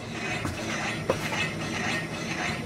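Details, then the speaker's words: Car wheel raised and spun by hand: light soft scrape from brake pad brushing the disc, no coarse growl or vibration at the knuckle; normal wheel bearing with light brake pad rub. "o problema é quando o barulho grosso co e quando você coloca a mão na peça ou na manga de eixo e você sente ela vibrar 60 ela tremer é aspiro é grosseira grosso e não é o caso o que a gente está vendo aqui agora no caso daniel não está fazendo barulho grosso"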